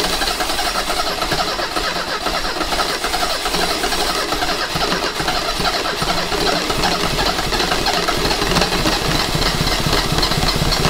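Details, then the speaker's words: 1985 Mercedes 190E with rebuilt KE-Jetronic fuel system, fuel pressure raised to about 70–72 psi: long cranking with a rough rush of noise and a few weak firings that never catch; hard start, cause not pinned down. "come on so we're super close we're almost at that was like 72 psi and she sounded like she wanted to she really wanted to"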